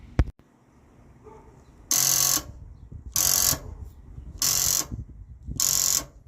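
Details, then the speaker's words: 1982 Ford Mustang GT (Fox body) with hot-start problems, starter solenoid jumped from battery with remote starter switch: four short harsh buzzing bursts, no cranking; starter solenoid cooked, explaining no signal to the starter. "huh going to go ahead and say that the starter solenoid is in indeed cooked all righty well that explains that the starter solenoid being cooked does explain why I'm not getting any signal to the starter"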